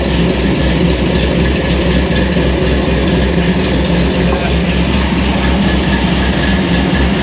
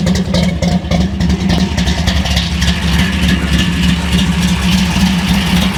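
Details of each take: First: Hot rod V8 idling with a deep, heavy, uneven lumpy beat under a low rumble; fuel was recently taken out and it now won't idle well, transmission about 1.5 L low; cause of the rough idle not found. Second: Hot rod V8 with fresh spark plugs, cold, just started: deep steady burble with an even lumpy beat, no knocks or misses; healthy idle.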